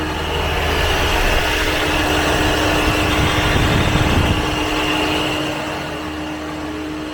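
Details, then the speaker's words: Jeep Renegade on a lift, accelerated: steady whirring drone with a fixed hum under the engine from inside the automatic transmission; the mechanic is certain the internal bearings failed, likely from water entry, and the transmission will be opened and the bearings replaced. "Porém, o câmbio tá com um barulho enorme dentro do câmbio, tá? Então, provavelmente aí, né? Provavelmente não, certeza que é os rolamentos, tá?"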